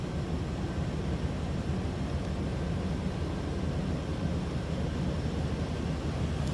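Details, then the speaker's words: 1997 Chevrolet C1500 Silverado extended cab, 5.7L Vortec V8, heard from the back at the tailpipe: deep, smooth rumble with an even beat, no misses, ticks or knocks; healthy steady normal idle, like a stock brand-new Silverado. "slip around to the backs and hear it run sounds like a stock brand new 1997 Silverado you ask"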